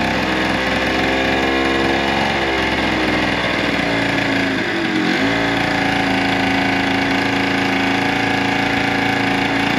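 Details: Old scooter, first start in years: steady buzzy two-stroke idle with a brief dip and quick recovery around five seconds, otherwise even; healthy normal idle.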